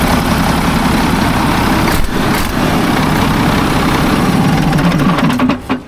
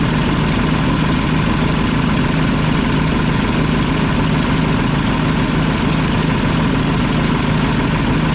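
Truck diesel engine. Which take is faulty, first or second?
second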